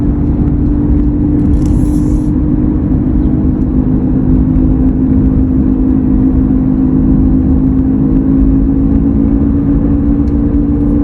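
A steady low hum holds one pitch over the road rumble while cruising, a constant drone of unknown origin.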